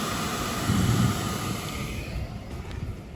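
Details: Classic VW's new replacement electric fresh-air blower fan, first run with the key on, replacing the old fan that died after years of whining bearings and weak flow: a steady airy whoosh with an even hum and no bearing whine or rattle. Healthy fan.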